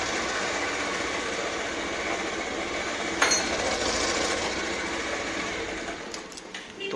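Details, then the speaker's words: Bajaj Pulsar 150 cc after a timing chain noise repair, engine cold: small single running at an even, steady patter at idle with no rattle or chain slap; the earlier harsh noise is gone and the engine sounds healthy. "इसकी जो sound है वह बिल्कुल सही हो गई है ना"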